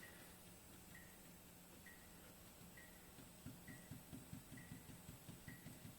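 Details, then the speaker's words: BMW i3 front suspension, strut shaft rocked by hand: quiet, dull knocks two or three times a second from play in the shaft; one fix is replacing both front struts, possibly with the top mount bearing; worn front strut knock. "я думаю все услышали вот этот звук ну вариант 1 менять полностью амортизационную стойку с двух сторон тогда стук пропадает"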